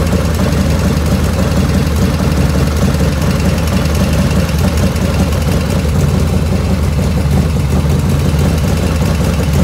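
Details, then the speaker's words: 1985 FXR V-twin after carb float set, 49°F ambient: fast, light ticking over a lumpy idle, quiet at cold start and louder as the oil warms. Owner suspects the S&S lifters, rear intake loudest, and rules out oil restriction. "And as it's warming up and the oil's warming up, I'm getting more lifter noise. So I know it's not oil restriction or anything like that. It's lifters, it's those S&S lifters."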